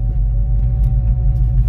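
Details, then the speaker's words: 1989 Ford Mustang GT left in storage for years, running again after fuel pressure built: low rumble with an uneven, lumpy pulse, running rough and misfiring despite spark plugs about two years old. "yep it's got to misfire we're misfiring Ellie it's got new spark plugs in it too looks like so why is it misfiring"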